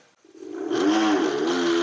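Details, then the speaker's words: Segway Ninebot G30P Max kick scooter, sport mode, rear wheel lifted, full throttle: wavering, warbling mid-pitch hub motor whine that never climbs cleanly, only reaching 15 km/h unloaded; abnormal hub motor noise, motor controller or connections suspected. "Oh, do you hear that sound? And it goes 15 kilometers an hour flat out. So something's really wrong here."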